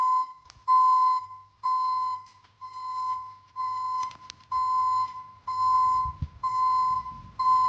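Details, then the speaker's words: Newly installed ECCO 530 backup alarm on a Silverado pickup, switched by toggle: loud, clear single-pitch beeps about one per second, evenly spaced; working normally like a commercial backup alarm. "from what you just heard um the uh recording doesn't do it justice I mean it sounds like a commercial um backup alarm like you'd hear on a"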